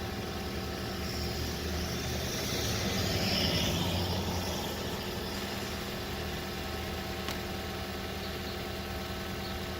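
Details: 2014 Toyota Corolla LE 4-cylinder idling during diagnosis; battery terminals read 14.5 volts, showing the alternator works: smooth, steady idle with even low hum, no knocks or whine. Normal idle.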